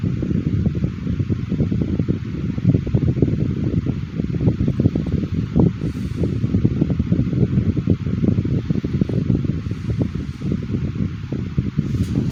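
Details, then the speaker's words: 2010 Midea 12" FT30-8MB oscillating table fan running on high after a sluggish start: steady, even whoosh of air with a low motor hum and no ticks or rubbing; normal running on high speed. "love the sound of these old desk fans. These make really good sleeping fans."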